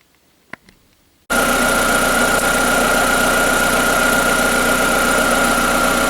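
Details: Skoda Fabia 1.4 BKY, automatic, about 200,000+ km, after engine rebuild for piston slap (noise on cold morning starts and under load): catches after brief quiet and settles into smooth, steady idle with no knock or tapping; normal idle.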